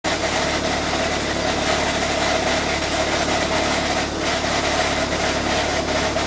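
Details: Chrysler Neon idling: loud harsh grinding from the gearbox area, quiet with clutch pressed at idle but persisting while driving; transaxle and LuK clutch kit already replaced without fixing it, 5th gear now pops out.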